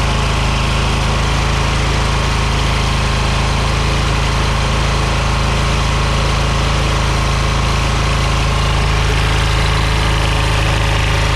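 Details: Scrap engine deliberately run to try throwing a rod: small engine running hard flat out with steady harsh hammer and rising metallic clatter, heading for seizure; it seized with no rod thrown.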